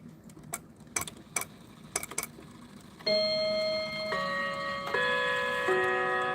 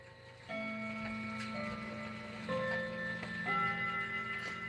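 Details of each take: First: New Haven Inglewood clock, spring fully wound: only a few sparse, uneven ticks with long gaps before the strike bells ring; barely running, cause unknown, clock oil suggested. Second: 1978 Howard Miller Bardwick clock: quiet, even ticking under soft ringing chime tones, a steady unhurried beat with nothing dragging or skipping; normal healthy running.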